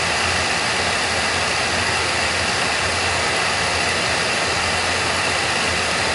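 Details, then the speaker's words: Oil burner firing after the technician tuned it and pulled the air band back a little; steady, even roar and constant hiss with no pulsing or sputter. Reading noted as 500, and it "sounds pretty good." This is normal, clean burner operation. "BPM way up 500 here. We sound pretty good."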